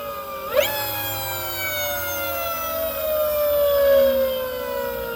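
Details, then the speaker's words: Electric motorcycle (ELX600 build) on old Fardriver controller at Ki 1/1/1 settings after hooking up big 96V battery: clean smooth electric whine sliding steadily lower as motor winds down, no buzz or roughness; healthy motor and controller. "after hooking up the big battery before the second qs10 connector popped it started sounding better at these settings"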